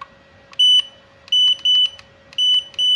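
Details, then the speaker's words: Godox AD300 Pro flash after board damage from a prior faulty service and a custom replacement module, battery fitted, power set to minimum, ready light on; five short high beeps with no firing pop, flash still won't fire. "Iya, memang nggak mau nembak ya teman-teman ya. Nggak mau nembak."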